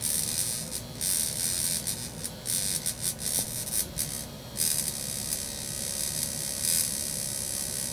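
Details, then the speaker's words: 1961 Monitor Radio MC-160 single-channel receiver, vibrator power supply run from a bench supply: thin high buzz with irregular crackling bursts as vibrator contacts spark intermittently while the mechanism is pushed with a chopstick; dirty, carbonized contacts arcing. "some fairly consistent sparks going right there but that's only because I'm it's only because I'm pushing the Megane mechanism over slightly with that chopstick"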